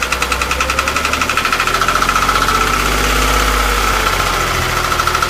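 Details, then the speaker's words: Warm engine on a Porsche 997 held at 2000 rpm: quick, regular pulsing knock with a thin high whistle over it; source not pinned down, owner asking for ideas. "Monter à 2000 tours minute."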